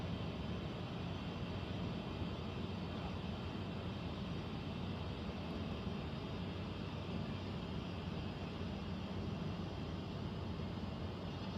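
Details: Central air conditioner air handler, heard in a bedroom and seeming to come from above the closet, gives a steady deep rumble and whoosh with no rhythm or pitch change; abnormal noise, cause not pinned down, possible leak questioned.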